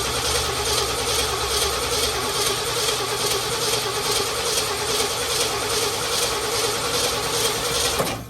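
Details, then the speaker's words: 1967 Ford F-350 Custom that sat about 10 years, cranking after the ignition points were opened up: steady starter churn with metallic clatter and no firing pulses; coil not producing spark, so it cranks but will not start. "hold on it's still not firing go ahead and crank it yeah crank it yeah the coil is not firing"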